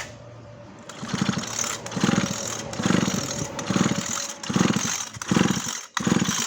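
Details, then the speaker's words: Maruyama CBC20 brush cutter pulled over with the spark plug out: a lumpy, uneven chuffing surge about once a second with heavy vibration. Crankshaft bearing suspected; the carb had been swapped for a Big Dint. "สะท้านไปหมดเลยสะท้านหมายถึงว่าลูกปืนข้อเหวี่ยงมันยังไงไม่รู้"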